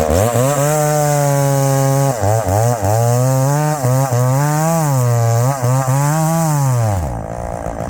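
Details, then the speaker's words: Chainsaw cutting wood: screams at high revs, pitch dips briefly under load and snaps straight back up. Strong, healthy cutting. "when I'm feeling strong you know the power this thing has and the throttle response when it's in the wood boy that's tough to beat it really is"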